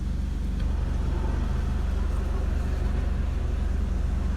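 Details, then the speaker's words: Honda Accord 2.0 Gen 9, in Drive: ECU holds idle around 700–720 rpm, sometimes dropping to the 600s; low steady hum with slight uneven pulse, strong vibration felt at console, steering wheel and seat; low idle, fixed by ECU tuning. "คะซึ่งถือว่าค่อนข้างต่ำนะฮะเพราะมีบางช่วงนะครับที่ตกไปเหลือ600กว่าๆนะครับพอถึง600กว่าพูดจะรู้สึกเลยว่ามีแรงสั่นสะท้านนะครับเยอะมากนะคะบริเวณคอนโซลหรือว่าบริเวณที่พวงมาลัยเนี่ยถ้าเราจะรู้สึกเลย"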